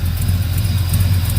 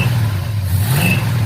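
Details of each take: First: 1971 Chevrolet El Camino V8, cold start after long sitting: deep lumpy idle with faint sharp puffs ticking with the firing, an exhaust leak from the header gasket at the back of the head; header to be pulled. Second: 1971 Chevrolet El Camino V8 with water and condensation clearing from the exhaust: deep, even idle and three clean throttle blips. The earlier miss when revving has cleared; normal idle and revving.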